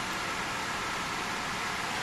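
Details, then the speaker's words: Gigabyte RTX 3070 Vision graphics card, nearly three years old: a loud, steady airy roar from the fan spinning at abnormally high rpm, with the screen going blank during games. "So today, I checked for a symptom where the graphics card fan spins at high rpm and the screen goes blank during the game."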